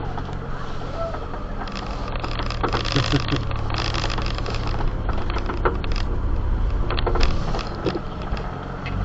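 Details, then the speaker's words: Azdome PG-16S dual dash mirror camera fitted in a mini truck, while driving: irregular light rattling ticks over steady road and engine rumble from the loose vibrating power button on the camera. "Sorry about that rattling video. We gotta figure out where that noise is coming from now. I had a lot of video I couldn't use because the rattling noise was just too annoying."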